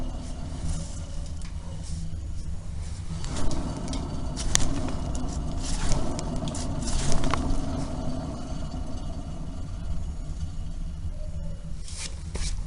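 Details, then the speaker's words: Wheel hub turned by hand, wheel jacked up and assembly fully disassembled: low gritty rumble with uneven scraping undertone; worn wheel hub bearing. "Ну вот, разобрали полностью. Теперь этот звук вообще прям отчетливо слышно. Это шумит ступичный подшипник."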